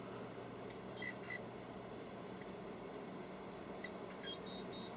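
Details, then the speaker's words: Pole Position arcade video PCB: logic probe gives a thin high tone pulsing about four times a second on the enable line at 8E pin 3, showing it now toggling properly after the repair work. "let me see what was um that enable was going to 8e 8e pin 3 8e pin 3. yeah it's toggling now"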